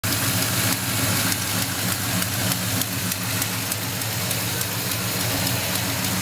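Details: 1972 Chevrolet Monte Carlo V8 idling with a quick, regular, sharp airy ticking puff about three a second above the rumble: exhaust leak.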